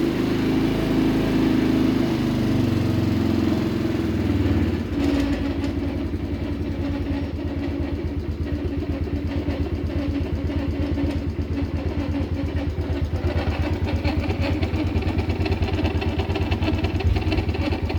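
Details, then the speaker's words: Mid-2000s Polaris Sportsman 90 single-cylinder ATV revs briefly then idles with a dry, rough rumble; dry bearing suspected, owner checking under belt cover and hoping it's not a crank bearing. "Yeah, I'm sure you guys heard that too. There's definitely a dry bearing somewhere."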